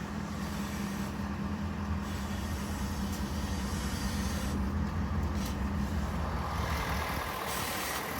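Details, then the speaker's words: 2023 Ford F-450 with 6.7 Powerstroke diesel at idle while the wheel is turned: a steady low whine rides over the engine as the power steering gets loud. The owner suspects air is getting into the system, pointing to a noisy power steering pump. "when I start this truck and I turned the wheel let's take a look at how this thing sounds the power steering is getting loud can you hear"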